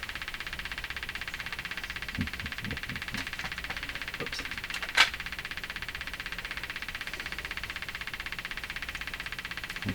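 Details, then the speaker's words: Hammarlund HQ-180 receiver motorboating with a steady putt-putt of about four pulses per second over hiss. The hot V10 6AL5 noise-limiter tube is pulled and suspected as the cause, to be tested. "I'm going to try pulling it out now it's hot turn there we go aha could this be the cause of the problem the tube itself"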